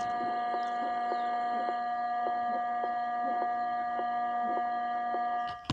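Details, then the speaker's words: DAT DA-313 power amplifier with one leg of the added filter capacitor removed, volume at zero. A steady, loud hum with a high whine and faint ticks from the speaker; supply noise from the missing filter capacitor. "Sekali lagi Ini kaki elconya saya copot sebelah artinya tidak dipasang Elco tambahan Ya seperti tadi noisenya kencang ya keluar suara nulisnya seperti ini"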